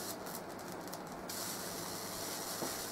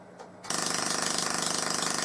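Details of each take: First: Full bridge PLL solid state Tesla coil, low power test after a re-soldering fix: steady crackling hiss of sparks with brief buzzing chatter at first and one sharp snap; arcing properly. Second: Full-bridge PLL solid-state Tesla coil in low-power testing, PLL re-enabled, antenna off ground, tuning set lowest: sharp crackling arc buzz pulsing about fifteen times a second as if interrupted, though no interrupter is fitted; cause unknown.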